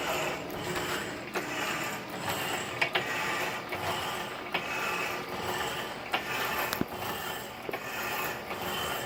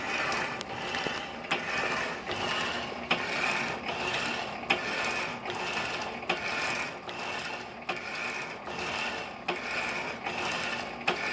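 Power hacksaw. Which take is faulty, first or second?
second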